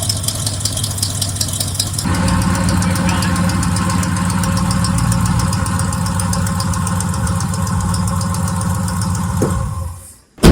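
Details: Squarebody Chevy truck carbureted V8 running on its own carburetor after the fuel hose swap: settles into a steady, even idle with a smooth low rumble, no stumbling or hunting, then shuts off.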